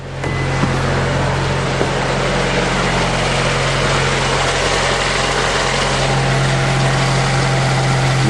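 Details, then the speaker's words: Honda Accord VTEC engine idling right after a timing belt and balancer belt change, test-started with the crank pulley bolt finger tight and covers off: steady, even smooth idle with no shake, vibration or tapping, so balancer belt is correctly installed; normal idle. "No problems. And no vibrations, so I got those balancer belt on right too."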